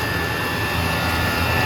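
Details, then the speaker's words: Two Chinese diesel heaters running at full throttle 6 minutes after start, garage cold, outside mid-to-upper 20s: steady even roar with constant high fan tones, no surging; running normally. "They're running at full throttle or full send."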